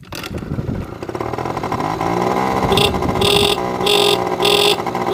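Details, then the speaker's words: Honda Spree two-stroke scooter with a weak battery so the starter doesn't work, engine revved: revs rise, then the repaired horn blares in short bursts once revs come up. "Hey, the horn's fixed, guys."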